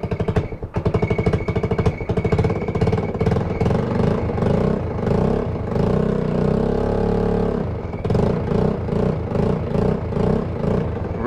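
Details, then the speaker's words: GY6 scooter revived on old fuel, exhaust still to be sorted and battery loose: idling with a throttle blip, revs rising and settling back cleanly; running sweet, normal running. "Right. Yeah, so it's running pretty sweet now."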